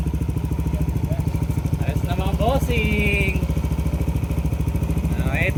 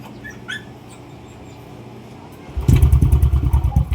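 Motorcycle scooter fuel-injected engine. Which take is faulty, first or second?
second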